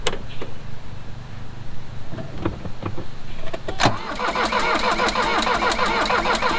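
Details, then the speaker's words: Mercedes 240D OM616 diesel sat about 15 years with sludgy fuel, first start attempt on a rigged battery: the starter cranks at a steady rhythmic chug but it never fires; fuel delivery suspected, injector lines to be cracked. "That's pretty much what I thought would happen. So we'll probably crack some lines on the injectors, see if we can get the prime bulb working anymore, and try it again in a minute."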